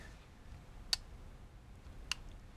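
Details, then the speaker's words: myTouchSmart Simple Set 2-outlet plug-in digital timer switching on at its set time: two crisp relay clicks with no change in power draw, indicating a normal latching relay. "you can hear a relay clicking in there but you actually don't see the power consumption change at all so that means this has a uh that means it should have a latching relay inside of it"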